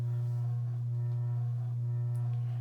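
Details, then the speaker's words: Circa-1985 Evergo 4E-6EALW 52-inch hugger ceiling fan, cast-iron motor, on low speed in updraft (reverse); constant low electrical hum steady under slow airflow; persistent motor hum, likely from rotted-away rubber bushings; bearing noise barely audible next to the vibration. "ever go Union thing and unfortunately the motorhome still is rather persistent as well"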